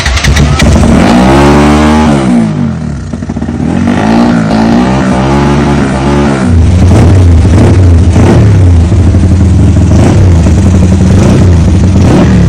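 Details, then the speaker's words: Carburetted motorcycle revved after the timing screw was raised slightly: revs climb and fall cleanly without stumbling or popping, then settle to a steady even idle, with a noticeably loud intake air sound; timing correct, engine healthy. "So kita dengar bunyi angin dia agak kuat."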